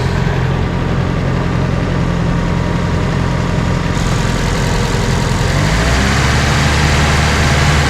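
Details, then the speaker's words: Nissan 240SX with SR20DET, owner reports it running rich, but only when at operating temperature; cold start, steady even idle with a smooth low rumble and no misses or knocks; normal cold idle. "see if it starts right up oh she still has her 3D printed Rose in here it's busted that's new actually sounds pretty good right now leaks"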